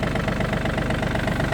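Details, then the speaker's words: Yanmar F215 four-wheel-drive mini tractor with 754 engine hours at idle: a small diesel with an even, steady clatter and no stray knocks or rattles; the engine runs normally, though the tachometer cable is broken. "Двигатель работает ровно, без каких-либо посторонних звуков."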